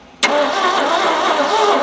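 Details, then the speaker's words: Abandoned 1971 Ford F100 that won't run, compression tested at about 50, 28 and 40 psi on cylinders: the starter spins the engine with a flat, lazy crank that never catches; low compression keeps it from firing. "so it's enough to enough to make noise but not enough to make boom no simply just not enough to make boom could that be the reason it's not running Ryan"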